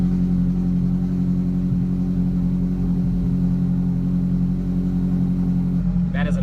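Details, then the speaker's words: Ferrari 458 Challenge car just started after repainting, reassembly and electrical repair with a new switch; deep, steady V8 idle with an even, throbbing beat and no knocks or misses while warming to temperature; normal idle. "awesome sound let's uh let's let this thing warm up to temperature make sure all the water all the levels are good"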